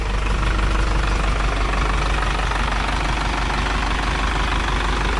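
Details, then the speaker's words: Isuzu NPR diesel truck that sat for years, idling to warm up after fixing a fuel-filter leak: steady, even diesel clatter with a deep, unchanging rumble, no misses or knocks and no further leaks; healthy engine. "We'll let this run a couple minutes and see how it looks."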